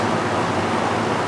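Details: Newly installed Master Flow 1450 CFM gable-mount attic fan (EGV5) drawing 1.16 amps, about 76 dB: loud even rushing whoosh with low hum underneath, no rattles, wobble or surging; running normally.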